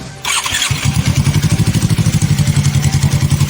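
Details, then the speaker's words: Suzuki Inazuma GW250 twin, already warmed up, outdoor sound test: crisp even exhaust pulses at steady idle, deep and loud through the open pipe, no misses or knocks; healthy warm idle. "It's already warmed up, so I'll give it some."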